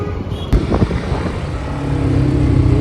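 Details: KTM Duke 250 riding under load, just back from service center: single-cylinder note wavers, pulling then dropping off and surging back despite full throttle, bike misfiring and stalling; owner says failing fuel pump.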